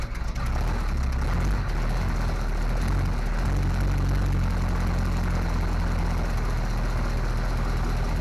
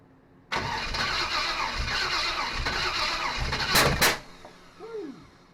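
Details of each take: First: Small block Chevy 350 V8 in a 1955 Willys wagon, now running off a temporary tank after fuel delivery fixed and a suspected manifold vacuum leak hole addressed; deep steady even idle, no knocks or ticks. Carburetor still needs adjustment. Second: SBC 350 in '55 Willys wagon, first start after removal from '46 Chevy, new fuel pump and temporary tank: cranks about 3.5 seconds, never catches; fuel not reaching carburetor bowl, owner suspects timing way off.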